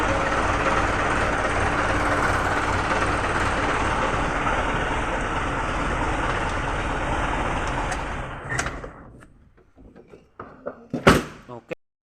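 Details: Mitsubishi Canter truck diesel after no-start problem solved: even diesel clatter at a steady idle for about eight seconds, then shut down and a few clunks; the truck runs normally.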